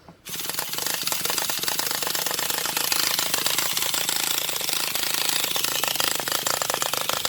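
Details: Traxxas Revo 3.3 nitro engine that made a clunk and cut off while driving; after glow plug, fuel and low-speed needle adjustments, cranking with fast even buzzing rattle and no firing pops, owner suspects no compression.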